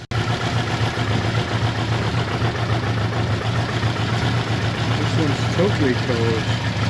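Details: Suzuki GS550T first start after 10–15 years, carbs just ultrasonically cleaned, oil put in the cylinders. It idles slow and lumpy at about three or four pulses a second, needing choke to stay running. Idle speed set too low, to be adjusted.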